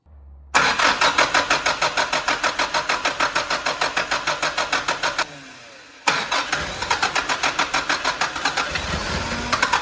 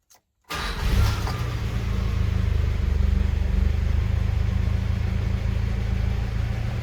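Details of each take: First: 1985 Mitsubishi Pajero with its original carburetor, idling rough and possibly misfiring: uneven, lumpy firing about three beats a second stumbles and dies, then restarts just as ragged; later fixed by a Weber carb swap. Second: 1985 Mitsubishi Pajero after a Weber carburetor conversion with air-fuel mixture and idle screws adjusted: starts and settles into an even, steady low thrum with no misfires or vibrations, a healthy idle after the earlier rough running.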